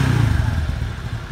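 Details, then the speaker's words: Suzuki Skywave 125 scooter, single-cylinder engine: after throttle blip the low thumping drops quickly to a constant, even idle with no hang or stumble; normal return to idle. "langsung konstan turunnya nggak lama"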